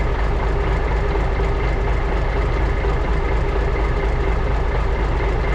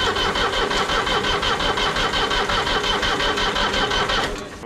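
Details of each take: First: 1980s Marmon cabover semi with big-cam diesel, unrun about 18 years: deep, steady idle with even low rumble, no misses or knocks; fuel shutoff solenoid not working, oil pressure gauge stuck, probably faulty. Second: 1980s Marmon cabover semi truck cranking steadily at nearly three beats a second without catching; no-start from air in the injector lines, which need bleeding before fuel reaches the injectors.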